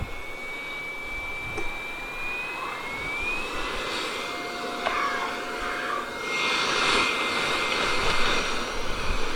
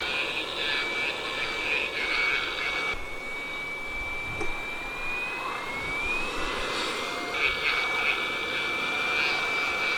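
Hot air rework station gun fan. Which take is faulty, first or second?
second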